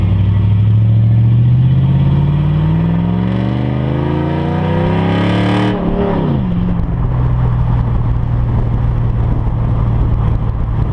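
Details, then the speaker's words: Hemi Ram truck with an unfinished straight-pipe exhaust, heard on a drive. A loud, deep V8 rumble climbs with revs, then settles into a rough burbling drone; it is running healthily. "I'm doing the exhaust on my truck it's not done yet but uh I'll take a little drive with you guys so you can hear it let me know what you guys think about it"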